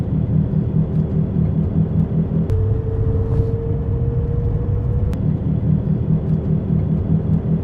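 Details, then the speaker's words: Inside a car driving after the wheel bearing was fixed: steady low road rumble with no rhythmic whomping or growl from the wheels. "This is my trunk. This is after the wheel bearing's been fixed."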